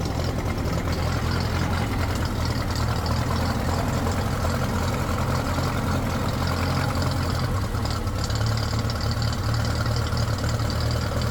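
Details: Ferguson TED20 tractor engine just after oil, filter and oil-bath air filter change: low, even idle with a steady deep throb, no knocks or rattles; oil pressure right up, previously dropped to nothing when hot.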